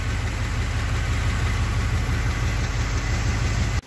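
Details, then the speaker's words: K5 Blazer engine idling: steady even low rumble, no clear knock yet; owner suspects cylinder head or head gasket, thinks that once at operating temperature it drinks its coolant, overheats, then runs rough and maybe knocks. "So as the engine warms up, it runs okay still, but then once it gets up to operating temperature, and if it gets a little bit hotter, I think it's starting to drink its own coolant, and then it just keeps getting hotter from there."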